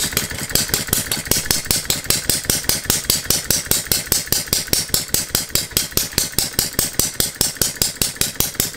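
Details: Philip Duclos Odds n Ends hit-and-miss model engine running on a Viton-ring piston after the cast iron rings failed to seal, with the governor disabled: crisp, evenly spaced firing beats about two a second. It runs fine, though the governor needs stronger springs.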